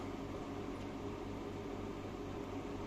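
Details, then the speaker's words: Aquarium chiller just switched on, cooling a marine tank well in summer heat: a constant loud hum with steady tones and airy fan rush, no clicks or rattles; it simply runs noisily. "єдина проблема шумить, шумить. Чуєте? Так. От я тільки що включився. Отакий шум."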